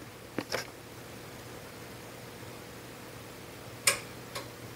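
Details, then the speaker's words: Brunswick Vector scoring system after replacing bad ball detect wire: quiet room hum then sharp dry clicks a few seconds apart as the time delay module relay in the circuit box fires, which it didn't before. "did you hear that click it's the time delay module in the circuit box firing um it wouldn't do that before"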